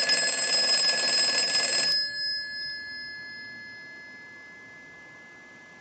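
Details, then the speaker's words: Northern Electric Galion rotary desk telephone after repair, ring cycle sent from analyzer in final checkout: crisp, bright bell rings about two seconds, stops cleanly, repeats; healthy ringing. "so we're going to go ahead and use the analyzer and we're going to send a ring cycle so we'll start that we're going to let that go a few times"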